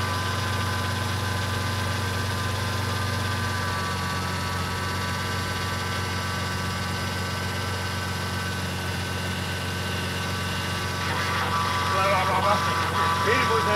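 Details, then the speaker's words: BMW E30 with a freshly built M52 turbo engine, first start: steady idle with a constant high power steering pump whine and rougher hiss near the end. Air is inside the pump, and the ATF is overflowing foamy, half air bubbles. "What is that noise? Strange noise. It's power steering pump. When those do work? That's quite funny sound. What it is doing? There is air inside the pump."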